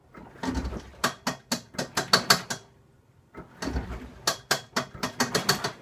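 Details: Washing machine: two bursts of sharp irregular clicks and rattles, each about two seconds, with no steady hum between; abnormal clicking.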